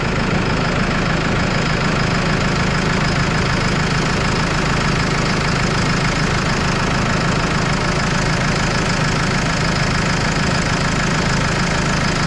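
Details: Case 75C tractor diesel running after a no-crank electrical problem, alternator tested at 14.26 volts: steady low idle with even clatter and constant speed, no misses or knocks; sounds healthy.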